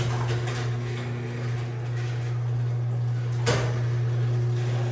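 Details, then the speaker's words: Craftsman 139.53672 garage door opener on 16x7 door, closing: steady motor hum, then one sharp pop near end of travel; a protruding bolt in the rail section catches. Pop on close. "yes I know it makes that pop I don't like it one bit actually I'll explain what that pop is"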